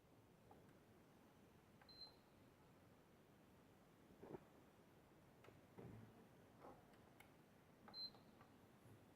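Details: Sony PS4 model CUH-1216A won't power on: two short high beeps with faint clicks and no running sound; fans spin under a second then stop, no light; eject gives three beeps; owner suspects the power supply.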